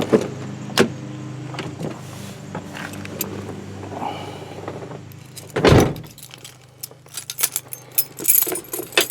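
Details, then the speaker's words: 2000 Chevy 3500 7.4 L, 21 years old, serviced regularly, everything works; key crank catches quickly, then low, steady, even idle rumble with no knocks; oil pressure good, alternator charging; healthy. "Oil pressure's good. Alternator charges."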